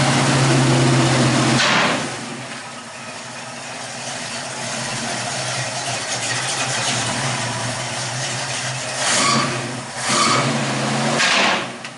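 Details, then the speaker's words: 1969 Mustang V8 at idle just after a new dual exhaust replaced straight headers: deep, even burble settling to a calm, steady idle with a few light blips. Much quieter than before; engine and exhaust sound healthy. "Let's see what it sounds like. Oh, that sounds a lot better."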